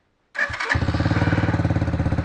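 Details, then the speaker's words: Chinese quad after repairs, with a leaking hose still to replace: it catches within a couple of cranks and settles into a steady, even low putter; a healthy start, though the idle speed is a little low and needs tuning. "starts no problem it's I doing fine now so let me like let me look for the house and I will see you then and the idle speed is little so I will tune it shortly"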